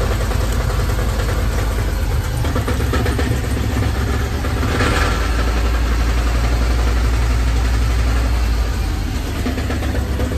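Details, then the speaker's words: Van petrol engine just cold-started and idling with a loose, uneven knocking rattle about four times a second, sounding worse than it is; caused by a cracked flex plate, a 15–20 minute replacement, calmer when idled up. "It's actually just a flex plate that's cracked."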